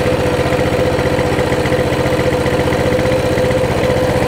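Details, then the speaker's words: Coleman CT200 mini bike, non-adjustable carb: the idle drops from about 1900 to a steady 1730–1750 rpm, a smooth putter right on target. The spring later turned out not to be attached. "yeah we're at 1900 that sounds better 17 30. on the money 17.50 it's sitting right at 17.50"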